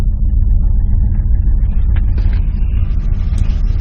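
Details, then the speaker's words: 1986 Dodge Ram Custom 150 six-cylinder pickup with 78,500 miles, idling with a deep, even low rumble and no knocks or misses; normal healthy idle. "But anyways, so let me start it up. You can just listen to it purr."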